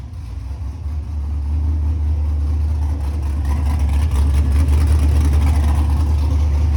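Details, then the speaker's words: LS-swapped 2nd Gen Camaro, stock 5.3 fuel rails converted to returnless with Corvette filter regulator and external Walbro GSL392 pump: V8 catches and settles into a steady, even low rumble; normal running. "The fuel cell's empty, so it's not gonna start, but let's cut to a clip of it actually starting and running."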